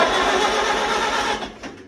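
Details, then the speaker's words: 1942 Farmall H tractor, long-sitting and cobweb-filled, first crank attempt: rapid, even starter cranking with regular compression beats for over a second, then winding down; engine turns over freely, not seized. Points and spark plugs still to check. "oh my gosh she rolls over woohoo well if you didn't hear that then you're deaf and you shouldn't be watching this video"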